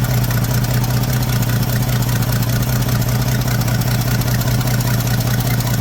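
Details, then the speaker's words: 1979 Ford F150 shortbed 4x4, 300 straight six with new carburetor, started after sitting 4 years: steady low idle with a quick, even puffing tick about two or three a second; owner says it clearly has an exhaust leak somewhere. "clearly has an exhaust Le"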